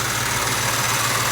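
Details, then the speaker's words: 1966 Ford Mustang convertible, warm V8 idle after running a while, new power steering belt, pump full of fluid: steady rough whirring hiss from a worn power steering pump bearing; pulley felt tough when spun without the belt. "all right we've been rolling running a little while seems pretty good except you can hear that bearing noise"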